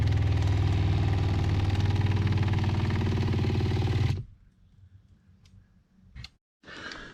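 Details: Shurflo freshwater pump in a van water system, after swapping to a flexible hose between pump and accumulator: steady low buzzing hum with a fast, even pulse of about four beats a second, then clean shutoff; normal pump operation, no leaks.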